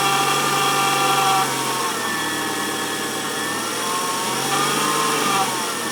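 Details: 1994 Nissan Altima engine running, warm or cold: a thin whistling tone rises and falls with revs and is most noticeable around 2000 rpm. The alternator was replaced, but the noise remains; source unknown.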